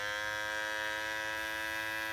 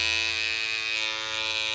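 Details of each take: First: is how it sounded four months you get for about a month that's how it sounded it was perfect Second: Cordless T-outliner trimmer with a deep-tooth GTX blade: harsh high buzz with a loose chattering rattle, blade lifting and vibrating in its mount after long use, not seated firmly.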